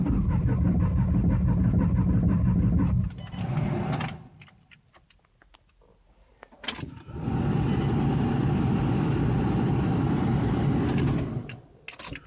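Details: 1993 Ford Taurus SHO, manual, with its fuel pump, filter, sensors, plugs, injectors, ignition module, coil pack and CCRM replaced. The starter churns evenly at about three turns a second but the engine never fires. Spark is present, the check engine light goes out while cranking, fuel is unconfirmed.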